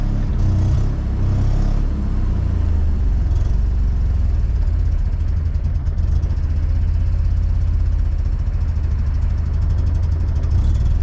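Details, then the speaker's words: 1979 Mazda RX-7 rotary that sat over 10 years, first run on its original rebuilt carburetor: deep, lumpy idle with uneven wandering beat, runs but idles poorly; carb tuning still needed. "it kind of idles. It's not great at idling, but I can tune that a little bit later."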